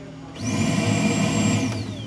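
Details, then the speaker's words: 2009 Mercury Milan, 67,000 mi, codes P0410/P0491, after repair: air pump energized, high, even whine spools up, holds about a second, winds down smoothly; outlet flows well where it did not before; normal air pump operation. "But if I open that up and then I energize the air pump, it's it's flowing out of there great, which it did not do before."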